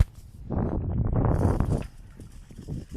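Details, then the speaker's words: Empty small trailer towed behind a bike on the road: loose, uneven clattering bursts as it rolls. The split pins are rattling in their holes. "the only way I know it's there is cuz uh the split pings rattle as you'll hear in a minute"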